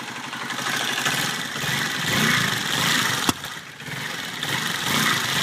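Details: Honda CBR125 idling after cam chain tensioner replacement: uneven, rattly idle with harsh scattered top-end clatter and a sharp tick; abnormal engine noise, cause undiagnosed.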